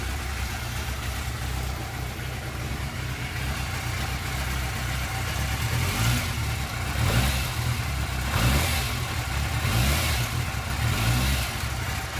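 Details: Yamaha YZF600R Thundercat inline-four at start-up after removing and cleaning the cam chain tensioner: revs up and settles cleanly to an even low drone, no ticking; normal.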